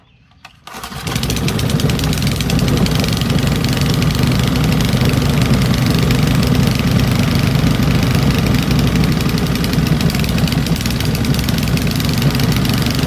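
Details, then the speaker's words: Old Briggs & Stratton engine salvaged from trash, after fitting correct bolts and opening needle valve: fires after short pull and settles to steady, even beat with no misses or hunting, smooth enough to hold one-handed. "that's pretty incredible look how smooth that is I can hold it with one hand"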